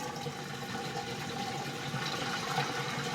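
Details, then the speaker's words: Maytag washing machine forced into service-mode component activation, drain started with the power button: water gurgling and rushing out under a soft steady pump hum, no grinding or rattle; draining normally. "Alright, so when you're ready to dump all the water out, then you can just hit the power button."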